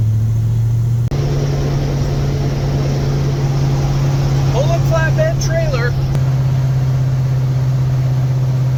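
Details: Big-block Ford V8 with 750 CFM Brawler carburetor, fully warmed up after trailer hauling, cruising through town in third gear: steady deep rumble at even pitch, no misses, knocks or stumbles; runs great.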